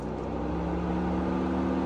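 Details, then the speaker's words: Electric cooling fan commanded on through a scan tool's active test; smooth constant whir with a steady low tone and no knocks or rattles, normal fan operation. "so you can activate the EGR uh you can activ activate um fan let electric fan so this is the fan of the car so if we activate it so it's going to do it now let's listen to it"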